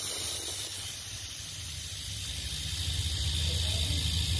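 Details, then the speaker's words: Homemade compressor built from a refrigerator motor: low motor hum under steady loud hiss as air leaks back through the compressor; too weak, can't hold pressure. "Então olha só galera vou mostrar para vocês como é que ele não segura o ar tá vendo o quarto volta ndo por dentro do compressor"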